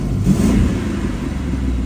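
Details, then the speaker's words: Newly acquired 2000 Ford Mustang GT V8 with 68,000 miles, likely Ford mufflers: deep, even rumble swells with a quick throttle blip, then settles smoothly; sounds normal (AC compressor clutch elsewhere squeaks, awaiting replacement). "sounds pretty good"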